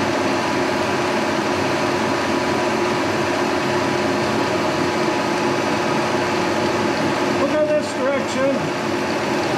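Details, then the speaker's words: 1943 Brown & Sharpe No 2 Plain Standard 5000 lb milling machine, sliding vertical head swung horizontal, first cut in decades on aluminum block; steady even cutter and drive hum, no chatter or grinding, healthy. "so i'm going to make a couple of cuts on this um block of aluminum and uh and you can see it cut 80 year old machine making a couple of cuts"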